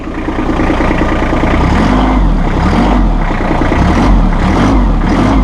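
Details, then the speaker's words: Massey Ferguson 1600 series tractor with three-range hydrostatic transmission, forward and reverse pedals: diesel rumble climbs and eases as the pedals are pressed, autothrottle raising revs smoothly; normal auto throttle rpm rise. "then we have four reverse pedals reverse and you can hear that autothrottle kick in I've just put it in neutral"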